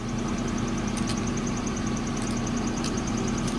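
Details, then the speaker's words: Starter motor from a 2003 Saab 9-3 with a no-start problem, run on the bench: steady whir with a quick light ticking and loose shaking rattle on top; something loose inside, cause unknown, but the starter spins. "like something shaking around in there who knows what that is but I know for sure that this starter is working properly"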